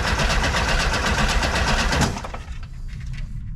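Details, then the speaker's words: 1976 or 1978 VW bus engine that sat over ten years, turned over directly at the starter because the key circuit doesn't work (suspected ground connection): it cranks at a steady, quick rhythm but never catches; crank, no start. "I'm just turning it over for starter. It sounds healthy."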